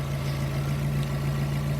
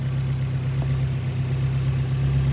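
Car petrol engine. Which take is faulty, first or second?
first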